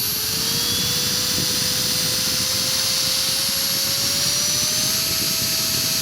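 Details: Align 450M helicopter motor after upper and lower main shaft bearings were replaced: high whine rising as it spools up with a gritty grinding edge; motor grinding noise, owner suspects the motor's inside bearings went bad.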